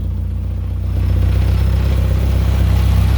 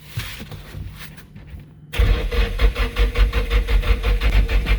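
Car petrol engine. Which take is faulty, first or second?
second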